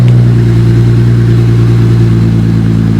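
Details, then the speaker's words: Stock Holden VX Commodore Ecotec V6 (bonnet coming off) revved with no exhaust fitted: a deep, raw, booming drone that swells with revs and has no muffling at all. The muffler is to be cut off next. "but you know listen to the rig oh yeah there's no bloody exhaust on"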